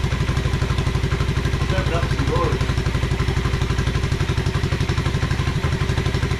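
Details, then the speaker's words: 1986 Honda Fourtrax 125 on its test fire after carburetor cleaning: an even single-cylinder thump at about four beats a second, steady with no misses or knocks; normal running. "yeah that sounds great though"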